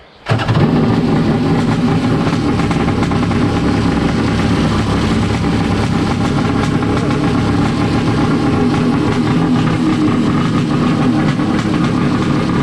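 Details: First start of a Wave Blaster jet ski after a 701-to-1100 engine swap, with temporary exhaust. It catches instantly and holds a harsh, very loud, unmuffled crackle. No cooling water flows through the exhaust; owner suspects the water pipes are plumbed wrong.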